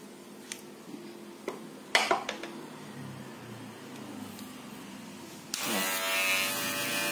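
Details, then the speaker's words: Barber hair clipper after tape was added to its blade seat. It gives a smooth, even, quieter buzz with no rattle, normal running. If it is still loud, the blade seat or blade needs replacing. "jadi suaranya lebih kecil dibanding sebelumnya ya sebelum kita kasih isolatif atau isolasi itu teman-teman ya"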